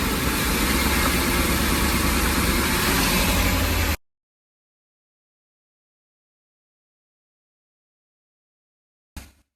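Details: Ford E-350 idling: about four seconds of loud, lumpy idle with a shaking, uneven beat and no misfire code stored; rough running, cause not pinned down.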